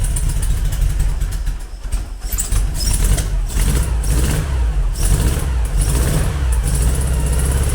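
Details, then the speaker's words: Engine start and revving after modifying the Weber IDF carburettor idle jets to stop them blocking and adding a brake-servo vacuum take-off: a deep, steady rumble that keeps running and picks up cleanly each time the throttle opens. "okay so uh I'm gonna just open the door and we'll crank it up and see what happens"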